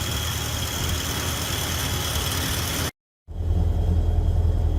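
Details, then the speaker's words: Morris Minor A-series engine with Judson supercharger, after new intake manifold gasket (small leak still suspected): low, steady, even idle, not quite down to 1000 rpm, no misses or knocks; normal idle. "there it is it doesn't sound too bad uh it's not really idling around 1000 right now"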